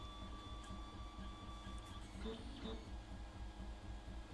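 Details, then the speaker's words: FolgerTech FT-6 3D printer during first print after firmware setup: thin steady high squeal over low motor hum during motion; cause unconfirmed, possibly a dry or binding moving part. "oh wait that squeaking is pretty significant you guys hear that over the microphone over the ol tea maker"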